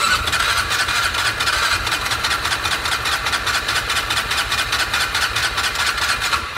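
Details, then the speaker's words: 2002 6x6 that sat a long time with old fuel in the carb, cranked off a Milwaukee battery adapter. Fast, even churn of about 2.5 beats per second that never fires, though it briefly seemed to want to start. No-start from low compression. "did y'all hear that a second ago it sounded like it wanted to start"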